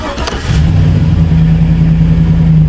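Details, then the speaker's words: 2008 Chevy Silverado 4.8 LS V8, after repair of intermittent misfire and power loss (fuel pressure fine at 55-60 psi), now settles into a smooth, even idle with a steady low drone, revs up easily with no stumble. "Revs up easy, no stumble. Listen to the exhaust. Normal sounding exhaust. Stumble's gone on the motor."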